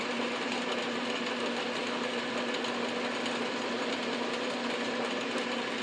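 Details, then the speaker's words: South Bend 9x24 lathe turning its own pulley, cooled and locked back onto the arbor so it no longer slips on the shaft: steady, even whir with no slipping or chatter; normal running. "that's so much better when it's not moving and slipping on the shaft"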